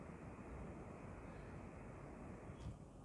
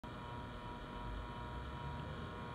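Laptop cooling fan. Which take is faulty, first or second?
second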